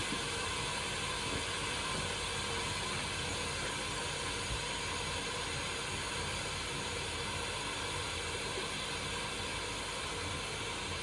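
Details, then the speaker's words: 1931 Viking Model B twin walk-behind tractor engine, cylinder pressurized, not running: steady airy hiss of air escaping past leaking intake valves (cracked, welded heads); exhaust valves also leaking. "I am not seeing I mean there's a tiny bit but that's not a lot it's got to be the intake vals"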